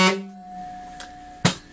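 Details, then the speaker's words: Air horn after quieting modification, measured at 113 dB, about the 115 dB street-legal target: short steady blast with a clean, even tone that cuts off sharply; normal tone after adjustment. "it's not very loud is it no as you can see it's 113 DB and this one should be around 115"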